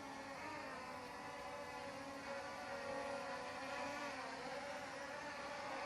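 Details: LSRC S1S Max drone flying outdoors in light wind: smooth, high buzzing whir rising and dipping slightly as it fights the breeze and drifts; motors and props sound healthy.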